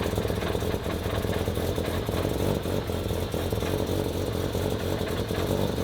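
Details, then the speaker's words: Rotary-powered Corvette, cold, new resonator and muffler exhaust: rough rotary idle with a light metallic clink-clink sounding near the torque tube, caused by the exhaust hard-mounted with no flex section fighting the moving engine. "If you're hearing what we're hearing, which is a clinking kind of clink, clink clink clink noise. I was getting really worried because it sounds like it's in the torque tube area. It is, but it's not. There's not a a flex piece on the exhaust."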